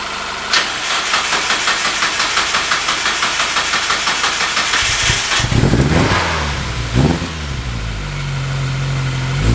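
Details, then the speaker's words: 1999 Miata, Chikara built 1928cc 11.0:1 engine, first start after about six years parked: cold engine catches after a few cranks into a lumpy, stumbling idle; misfire, owner suspects coil pack, plans coils, plug wires, plugs. "it runs got a bit of a misfire i think it's a coil pack i was told that might have been an issue when it was parked"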